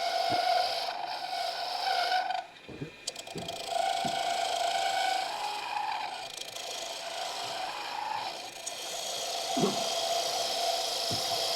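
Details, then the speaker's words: Wood lathe turning a slender finial at around 1600–2040 rpm, deliberately without tailstock support. A high squeak comes and goes over the cutting scrape as the unsupported workpiece flexes and chatters under the tool. "now I'm purposely going without the tailstock. You can hear the squeaking. Now I'm doing it on purpose."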